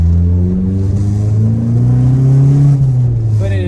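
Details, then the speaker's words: 2008 Ford Focus 2.0 with manual clutch, test drive before repair: heavy low droning boom under steady throttle, dash rattling, pedals tingling. The owner thought it was exhaust, but a failed engine mount was found. Vibration and drone from failed engine mount. "it is just droney in here stuff on the dash is rattling uh it's accurate to even say that the pedals are tingly"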